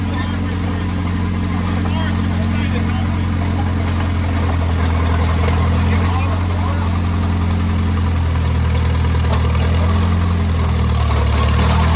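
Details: Oliver Cletrac OC3 crawler warming up after a manifold gasket change and carburetor adjustment: a smooth, even low idle at roughly three to four pulses a second, no misses or knocks, barely any smoke. Normal idle.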